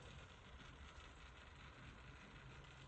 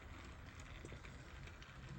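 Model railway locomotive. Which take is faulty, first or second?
first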